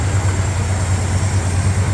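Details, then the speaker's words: Cold 1965 Ford Fairlane, rebuilt 1978 302 V8, choke adjusted, off fast idle cam at about 1,000 rpm while warming up: steady deep even idle, no misfire or stumble, barely shaking; aftermarket balancer still suspected for earlier shaking. "but I got to say right now at least at fast idle as it's warming up looks pretty good"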